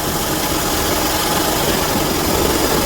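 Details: Car at idle after restoring power to the AC compressor clutch: steady whirring hum, no rattle or squeal. The compressor is engaged and running normally.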